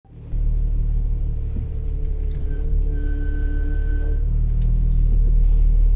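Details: 2018 Ram ProMaster with the engine idling; when the steering wheel is turned, a sharp screech rises for about a second with clunks around it; repaired under warranty.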